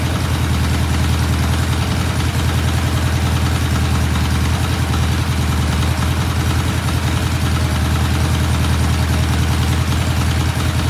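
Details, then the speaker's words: 1968 BSA motorcycle, cold start after new rear shocks were fitted: steady, even thumping idle at a regular low beat around three per second, no knocks or misses; runs healthy. "Sounds good. We're going to let it sit for a couple days, watch for any oil, and then I think we're ready to release this bike."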